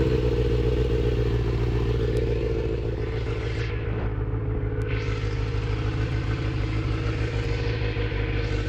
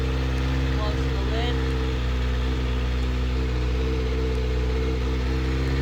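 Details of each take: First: Kawasaki ZX6R inline-four being rebuilt, restarted after running while still smoking: loud, unsteady, clattery loping idle, about three beats per second, with surges. Rough idle; owner doesn't know the cause and wonders if it's just the idle. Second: Kawasaki ZX6R inline-four being rebuilt, started right after draining water and filling coolant to purge air bubbles: steady, even idle with a low drone, no knocks or misses; running normally.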